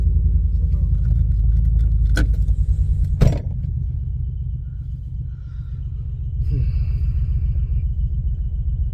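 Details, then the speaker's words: Ford Focus ST 5-cylinder, new MAF sensor fitted, just started on booster pack: low idle with lumpy, uneven beat, stumbling now and then; misfire still present, not solved by new sensor. "Well, that's no good cuz we've still got a misfire."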